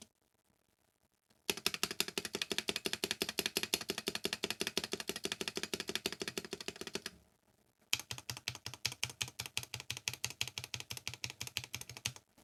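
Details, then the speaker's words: Novelkeys NK87 Entry Edition, polycarbonate plate, lubed Gateron KS9 switches, NicePBT keycaps, stock stabs replaced with properly lubed Durock V2: crisp even clacks with no rattle or ping from long keys; 7u spacebar could use more work. "this is with stats replaced to drock v2s and with a proper lube job same switches same keycaps"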